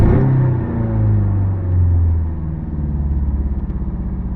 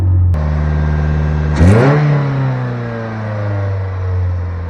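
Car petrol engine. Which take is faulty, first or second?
first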